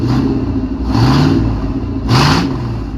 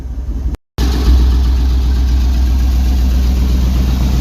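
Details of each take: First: 1999 Chevy K1500 Suburban, 5.7 Vortec with bad rod bearings, sat three years, first start after oil change, 50 psi oil at idle: two quick revs with deep raw bark, loud because catalytic converters were stolen. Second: 1999 Chevy K1500 Suburban 350 (5.7) Vortec, new connecting rod bearings fitted after bad rod bearings, catalytic converters stolen, almost warm, about 30 psi oil pressure: loud, deep, even idle with a steady low beat and no knocking; a normal idle.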